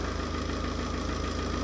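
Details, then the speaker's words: Tata 2.2 diesel, long parked and not starting, idling with a hard even knock on every firing; scan showed knock sensor under turbo, scored cylinder suspected and injectors checked one by one; repair included cylinder 4 sleeve, piston, injector kits. "ตัวนั้นนะว่ามีปัญหาเนื่องจากรถมีอาการเขกนะฮะหัวฉีดมีปัญหาหรือเปล่าเดี๋ยวมาดูเช็คทีละต้นเลย"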